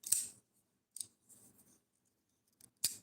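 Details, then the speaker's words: Custom-modified folding knife on bearing pivot: sharp clicky snaps as the blade swings open and shut where bearings should be silent; owner blames a too-thin backspacer, a noisy pivot bearing. "This one actually has an issue with the bearings. You shouldn't be able to hear them."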